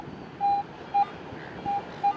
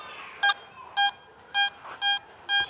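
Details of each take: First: Garrett BFL metal detector with small 5x8 DD coil on salty wet beach sand: short uneven chattering beeps with no target; improper ground balance, fixed by re-ground-balancing. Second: Garrett metal detector on a sand beach giving a higher target reading around 80, later dug as a coin. Five short, clear, high beeps about half a second apart over a quiet background. High target tone.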